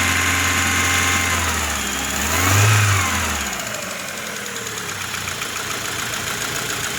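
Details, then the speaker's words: 2000 Rover 75 Club, 1.8 K-series engine, first start after head gasket repair and cylinder head rebuild. Engine catches, rises briefly and settles into idle with a light metallic rattle over it. Rattly first startup, cause unknown. "So we've just heard that first startup, she was quite rattly."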